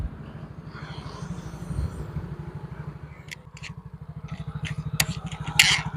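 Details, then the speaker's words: Mio GT scooter after replacing worn rollers and damaged CVT parts, which had caused clatter and power loss: a steady, even engine pulse with no knocking from the belt drive; the CVT now runs clean and quiet. "sudah tidak terjadi suara kelapak seperti tadi"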